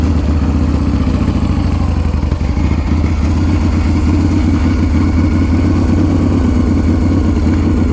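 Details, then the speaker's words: 2016 custom build with a completely redone Harley-Davidson Shovelhead S&S engine, 1,100 actual miles, on choke just after a cold start: loud lumpy V-twin idle with a light slicing, chattery rattle on top, which is just the dry clutch, normal. "if you hear that kind of like slicing, like chattery type of noise, that would be the dry clutch."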